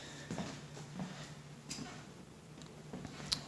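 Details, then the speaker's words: Sub-Zero refrigerator with a warm freezer, recorded at the compressor compartment: low steady hum, soft ticks and a sharp click as the compressor tries to start but won't run; it was slightly warm, not vibrating, with good voltage and a bad start relay, replaced with a start device. "Just heard another click from compressor, and then I take these screws out, these, open up the panel, and we'll check if we're getting voltage to compressor, which I'm sure we are getting."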